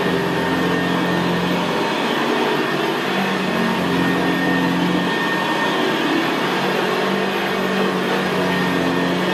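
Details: 1975 Hoover Senior Ranger U4002 vintage upright vacuum cleaner on carpet: steady, very quiet motor hum with the low gravelly brushroll growl typical of the Ranger; normal healthy running.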